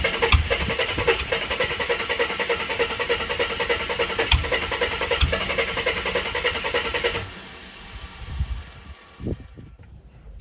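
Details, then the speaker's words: Ford AU Falcon off-road build, cranking after reassembling injectors and changing ECU setting to 36-minus-1; starter churns steadily about seven seconds with only a stray pop or two, engine not firing. Cranking no-start, improved. "Okay, that's a lot better already. At least it does make a pop or two now and then."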